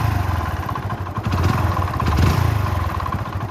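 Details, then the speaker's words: Motorcycle engine run on despite needing a rebore, at idle: loud, rapid metallic knocking throughout from the connecting rod; engine to be dismantled to find the damaged parts. "ఎందుకంటే లోపల అనేది connecting rod sound అనేది చాలా విపరీతమైన sound వస్తుంది."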